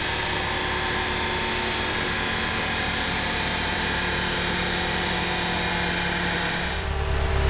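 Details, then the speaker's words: Mk2 with a rebuilt 1.8T 20v, GTX2867 turbo, log manifold and 270/257 cams, on E83 during dyno tuning: a clean, steady scream to 7,000 rpm with no breakup, after low ignition dwell times were fixed. Normal high-rpm pull. "orrectly, and it is now revving to 7,000, and it sounds like it's revving forever."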